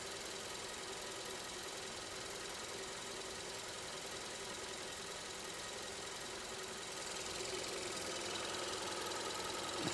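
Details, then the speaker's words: 2015 Kia K3 1.6 GDI at about 60,000 km, knocking when climbing hills, heard in the shop as a steady fast rattle over the idle. Cause: heavy combustion-chamber carbon and weak ignition on cylinder 2. Fixed by chamber and intake-valve cleaning plus coil and plug replacement. "노킹이 나는 경우는 점화 계통에 문제가 있어도 노킹 원인이 됩니다. 연소실 안에 카본이 껴 있어도 노킹이 원인이 되고, 그래서 이 차는 점화 계통도 지금 문제가 있는 겁니다."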